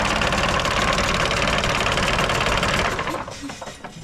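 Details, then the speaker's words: Mercedes OM366A turbo diesel (170 hp) at low idle after its fuel injection pump was rebuilt and timing set to standard, slightly later; even, quick clatter with no missing beats, all cylinders steady; normal idle. "так ребята Олежка регулірує паливні насоси чтко от сечас от самий тихий хід всі циліндри роблять все чтко все форсунки ми не отдавали ФРН"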